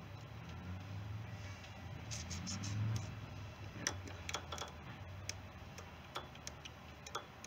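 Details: 16.5 hp Briggs & Stratton engine swapped into a John Deere mower, tried on another battery with wiring unfinished: sharp, uneven clicks a few times a second without cranking, solenoid triggering; owner suspects the black solenoid wire. Repeated clicking without cranking.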